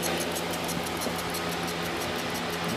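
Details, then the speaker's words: Propane recovery rig after refrigerant sight glass failed and opened a hole: with the compressor shut down, steady rushing hiss with faint fast pulsing as gas keeps pushing through; owner unsure whether the compressor is still turning. "sounds like it's still turning and I don't know if that can be possible or not but there's definitely gasp pushing through this is nuts"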